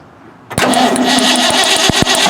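Starter spins the engine over with a steady churn and sharp ticks on top; it turns over normally and sounds ready to fire.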